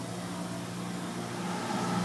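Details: Maple evaporator combined over/under-fire blower box: 1/2 hp motor on a 7 3/4 in high-pressure blower plus a 200 CFM squirrel-cage blower, inlet dampers closed, about half an inch water pressure, about 100 CFM total; steady airy rush, low hum, no rattles; normal running.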